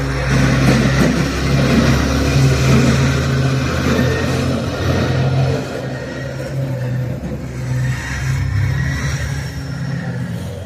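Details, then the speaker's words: Electric winch unloading a camper from an RV transport truck hums low and labors, sagging under the heavy load with the truck engine running; the winch sometimes has to be stopped to catch up. "Did you hear how the winch was humming? Sometimes you got to stop and let it let it uh catch up."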